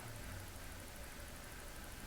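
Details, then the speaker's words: Commodore 1541 floppy drive after repair of a no-spin fault (suspected controller IC, chip resocketed): quiet steady low motor hum with faint fast even ticking while loading; spins up, reads directory and seems to boot. "spins up just fine there we go yeah at least the driver is doing something I think there might be some issues there but yeah it reads the directory and it seems to boot up"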